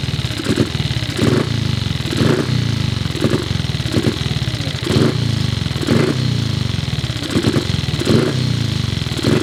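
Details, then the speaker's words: Cub single-cylinder motorcycle at start-up: thumps along but needs a throttle blip about every second to keep running; carburettor idle screw seems too short to raise the slide enough to idle. "And it seems that the idle screw is a little bit short. It won't raise the needle up. It won't raise up the slide enough to make it idle."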